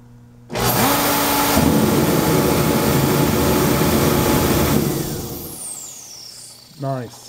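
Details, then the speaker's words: 115 BTU Reddy torpedo heater with the photocell deliberately disconnected: fan and burner roar up steadily for about four seconds, then die away as the circuit board senses no flame and shuts the fan off. "nice the logic board it Sayes that there's no flame and the logic board assumes that there's no flame that's mean I need to turn the fan off"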